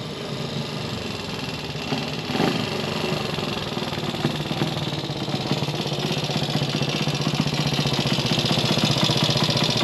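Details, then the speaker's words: Gilera 124 5V classic motorcycle on first proper road run after restoration: uneven lumpy running with irregular popping and surges as revs rise; not running right, carburation suspected, spark plug and points timing to check. "how was that uh Popp on it's not running right okay but work in progress yeah it's only carburation good a start"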